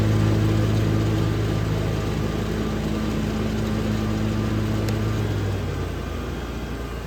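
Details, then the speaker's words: Hustler Fasttrack SDX mower blade engagement, comparing X-blades (six blades spinning instead of three, much more airflow and force) against what are thought to be Oregon high-lift mulching blades: a deep steady drone holds even with no struggle; normal engagement. "six blades spinning instead of three blade spinning creates a lot more Force it's a lot more air flow so it's sucking a lot more air up and it's blowing a lot more air out"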